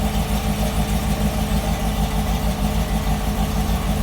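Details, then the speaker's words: Cold 2012 Corvette V8 with heads, cam and supercharger idling lumpy, exhaust pulses skipping. It misfires when cold, within the first 15 minutes, then evens out. "getting a misfire whenever the cars cold and cold could mean anything in the first 15 minutes of driving it so even just an idle"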